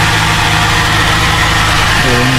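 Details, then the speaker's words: Suzuki Vitara idling after bolts were refitted in a rattle repair: a steady, low, even hum with no rattle, knock or hunting. It is quiet now, with no smoke, the idle dropping and no leak. "Tahimik naman siya ngayon. Okay naman, walang usok. Yan, bumaba na yung idle niya."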